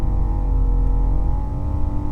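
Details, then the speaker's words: 1980 C3 Corvette heater blower: steady whine wavering in pitch ("ring, ying, ying") over low drone, stays on even when switched off; cause unknown, owner plans new blower motor, resistor and control unit. "That fluctuation, ring, ying, ying, ying. And then even when you turn it off, it stays on."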